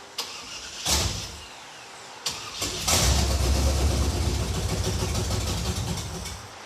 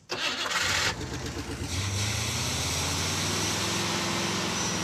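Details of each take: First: After priming, the engine cranks briefly, catches and runs roughly for a few seconds, then sags as fuel runs short. The mechanical fuel pump is believed not to be picking up gasoline from the tank because of a subtle leak at the fuel filter. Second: Brief crank, clean catch and a steady, even idle with no knocks or misses; normal start.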